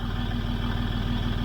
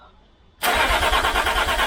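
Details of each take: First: 2006 Land Rover Discovery 3 TDV6 2.7L diesel after a full rebuild, once a new crankshaft trigger wheel is fitted and no engine fault remains. Even, rapid firing pulses with a steady low throb and no misses: normal idle. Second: 2006 Land Rover Discovery 3 TDV6 2.7L after a full engine rebuild, with no muffler and the starter temporarily bolted in: it cranks steadily at about three beats a second but never fires. The crankshaft position sensor signal is suspected, and the original sensor was reinstalled for testing.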